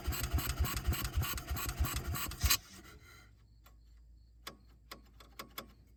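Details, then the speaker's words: Bobcat Pioneer (Club Car Carryall) two-wheel-drive UTV, marketplace revival, in neutral with parking brake on: lumpy, uneven chugging a couple of seconds, then stumbles and dies; rough unstable idle, dies when revved, runs better on choke, cause unconfirmed. "what that is idal does not like something still haven't been able to test the transmission but I can't rev it up without it dying"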